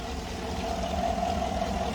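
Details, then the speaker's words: 2018 Chevrolet Suburban LS V8 after overheating, check engine light on; intake melted at cylinders 6 and 8 causing a big intake leak: steady idle with an uneven stumbling thump; misfire, unsure whether intake leak is the cause. "But I'm not sure if that's what's causing right now this misfire."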